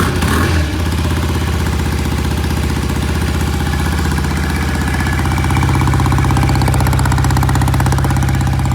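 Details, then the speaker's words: 1968 BSA twin, started cold before a test ride: uneven, lumpy idle about four pulses a second that won't settle; one lazy cylinder suspected, not confirmed; warming slowly. "Sounds like we got a lazy cylinder. Yeah. Huh. It doesn't want to idle."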